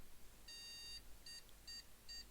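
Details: PC power-on error beeps, one long then three short about half a second apart, blank screen then shutdown; board only boots after holding the MEM OK! button, likely memory-related startup error.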